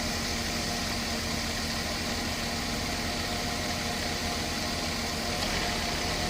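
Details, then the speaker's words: Mercedes-Benz S280 at idle after fixing refrigerant hose leak and adding compressor oil, cabin vents about 5°C both sides: steady even idle with smooth hum, no knocking or rattling; previously noisy compressor now runs quietly, normal operation. "ในรถเย็นได้5องศาทั้งซ้ายขวานะครับอ่าม.คมีเสียงการทำงานปกติทุกอย่างนะครับ"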